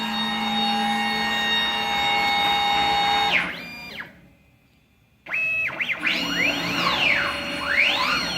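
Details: CNC plasma table with ClearPath servo motors on newly fabricated mounts, trial run cutting a circle with the plasma off: steady high motor tones sliding up and down in smooth arcs; normal servo motion.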